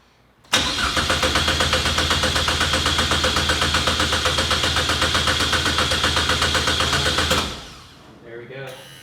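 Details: Chevy Sonic Turbo stunt car, sat eight years, after rewiring the fuel pump; starter cranks at an even four beats a second for about seven seconds but never catches; clogged injectors starving it of fuel.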